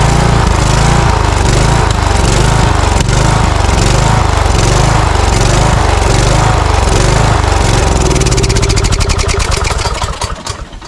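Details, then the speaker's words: Cub Cadet riding mower with Kohler engine, customer complaint of surging: engine hunts up and down in speed, lean from fuel starvation; partly closing the choke smooths it, suspected restriction in the carburetor. "okay so it's not getting enough fuel it's surging when I you may have seen me stick my finger in the carburetor what I was doing is shutting the choke just a little bit and soon as I restricted the air flow a little bit it smoothed out"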